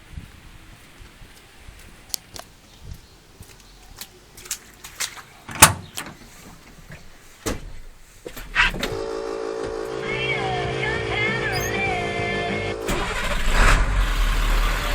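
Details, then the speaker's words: Diesel running on waste vegetable/motor oil fuel, cold weather: catches quickly and settles into a steady even idle; starts and runs normally, engine noticeably quieter, smokes slightly more blue when cold. "Fires just like it normally would. Runs just like it normally would. The engine is noticeably quieter."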